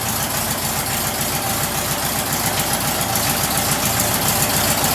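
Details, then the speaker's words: Stock VW air-cooled flat-four sidewalk motor, first start after build, tailpipes giving an odd exhaust note: even, steady idle with a regular putter about three and a half beats a second, no knocks; runs healthy, normal idle. "Yeah. Runs good, man. It's a good stock motor."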